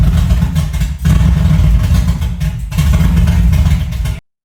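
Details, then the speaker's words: 1975 Chevy C10, first start of the newly rebuilt engine: deep, loud, raw rumble with a choppy low beat and no muffling because the exhaust pipe fell off. ">> Dude, the exhaust fell off. That's why it's so loud."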